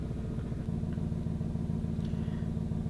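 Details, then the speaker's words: Lexus SC just delivered by truck transport, with no leak before shipping: loud, raspy low idle rumble with rapid puffing pulses; bad exhaust leak, owner believes a ripped flex section. "this has a pretty bad exhaust leak. And it didn't have one when it went on the truck."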